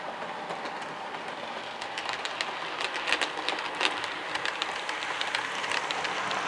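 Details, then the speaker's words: Cavalex Class 60 model locomotive with new wheel sets, running on 28 speed steps: quiet smooth motor hum, light clicks crossing the points; earlier noise was the gears, not the motor; normal running. "So yeah, no noise at all. So the motor wasn't noisy at all, it was down to the gears."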